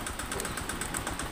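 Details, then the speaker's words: Honda Vario 125 FI scooter, late oil changes and dirty throttle body: rough engine with rapid, uneven, ragged puffing and white smoke at the exhaust; compression leak from worn, scored piston. "suara kasar pada mesin diiringi dengan keluarnya asap putih mungkin dikiranya dari bagian CVT"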